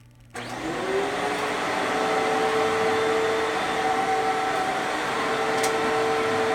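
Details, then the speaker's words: Older-style Fantom Fury 12 amp vacuum, better bearings: motor spins up quickly to a steady, even whine with clean tone and no rasp or rattle; normal sound of a good motor. "so that is how a Fanjul Fury should sound if it has a good motor"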